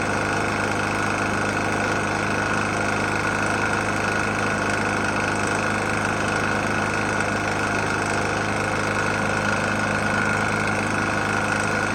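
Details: Murray E450 mower, Briggs & Stratton engine, oil found nearly empty and topped up, restarted after running out of gas: steady fast idle with a dull, uneven rap mixed into the beat; knocking engine near its end, cause unconfirmed.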